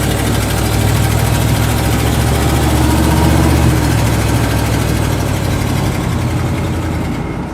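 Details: 1979 Dodge 100 truck after choke fix, driving: smooth even low rumble with steady firing, no knocks or misses; engine running normally.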